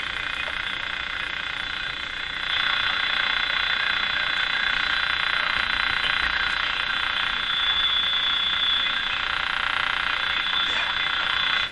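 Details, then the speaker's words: General Electric CL541A ship radio after tube testing: fast raspy ticking about three per second over steady hiss across the band; powerful external noise signal desensitizing the receiver, not a radio fault. "now the ticking sound that's not from the radio that's an actual noise signal coming in"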